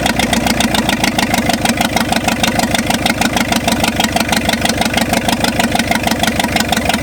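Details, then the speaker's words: 1965 Ford F250 after 26 years parked, only briefly run, no blow-by yet: lumpy uneven idle, pulses stumbling and jabbing; seems to have too much timing, stuck distributor to be moved; over-advanced ignition timing. "it's like it's got too much timing so we're gonna have to move the distributor"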